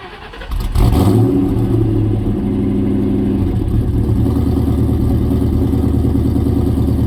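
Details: 2003 4.6 2V V8 cold start: cranks, catches and settles into a steady idle with a faint uneven clacking/ticking over it; cause unclear.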